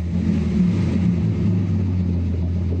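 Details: Datsun 280Z on Speeduino being tuned for MAP-based acceleration enrichment. Deep rumble picks up cleanly on a quick throttle blip and settles without stumble or bog; clean throttle response, fueling on acceleration is right.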